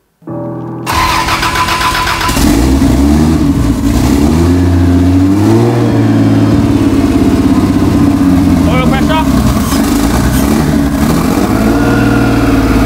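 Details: First start of a Vancruiser's 1SC six-cylinder on an aftermarket Haltech ECU, throttle held open: catches, then revs unevenly with a lumpy stumbling beat, sounding like it's running on only four cylinders; rough misfire, cause unclear.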